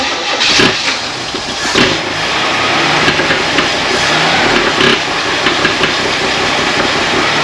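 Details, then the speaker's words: 1964 Chevy II Nova, first start in months, with only a few gallons in a previously bone-dry tank: the starter cranks steadily and the engine catches in brief bursts but never runs. The owner suspects fuel delivery and wonders if more fuel is needed. "what the heck start picking up fuel I wonder if it needs more in the tank because it was bow and dry and only put a couple of gallons in"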